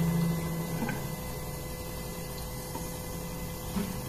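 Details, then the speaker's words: SEAFLO 56A variable-speed on-demand 5-chamber diaphragm water pressure pump, with flow turned down to a trickle: a quiet, steady low hum with a faint pulse. It runs slowly without cycling on and off; normal low-flow running. "Quiet, smooth operation. So you can tell the 56A is just running nice and slow, not cycling."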